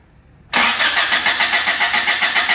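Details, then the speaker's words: Honda Civic hatchback that wouldn't start, fuel pump not heard priming (fuel pump suspected): silence, then it cranks well, catches at once and settles into a steady pulsing idle about five beats a second; normal cranking and start. "all right well we got good crank now that's a plus"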